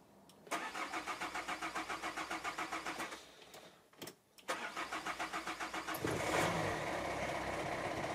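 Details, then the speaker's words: Renault 1.5 dCi (K9K) in a Kangoo with leaking injector back-leak, return hoses pulled for testing: long even cranking at about four beats per second, a stall, more cranking, then it catches and idles around 900 rpm; hard starting from leaking injectors. "alors il est peut être logique que le démarrage soit beaucoup plus compliqué maintenant pourquoi parce que comme on a tiré les durites y adhèrent qui rentrait"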